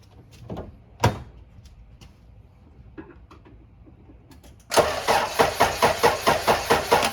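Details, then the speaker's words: Junkyard Acura/Honda Integra B-series: quiet clicks, clunk, then steady cranking near two turns a second that never fires; no fuel pump prime heard, no fuel delivery, spark not yet checked. "I don't hear the fuel pump priming, and that's why I went with fuel first."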